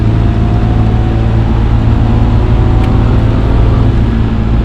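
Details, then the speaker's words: Lexus GS300 on its first drive, fully warmed up, given gas on a one-way street: smooth, steady engine drone with road rumble, pulling evenly with no knocks or flat spots; brakes feel solid, normal acceleration. "Yeah, that feels great. Brakes feel really solid. Everything feels so solid on this."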